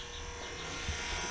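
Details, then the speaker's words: Subaru EJ251-to-EZ30D H6 swap with open exhaust, key turned on before test fire: steady, even electric whir with a faint buzz and no grinding; just the windshield wiper motor running normally. "it's just the damn windshield wipers i totally scared myself"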